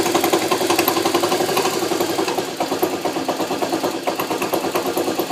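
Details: Honda CM91 small single-cylinder at idle: busy metallic clatter ticking quickly and fairly evenly with engine speed; bad engine rattle, source unclear.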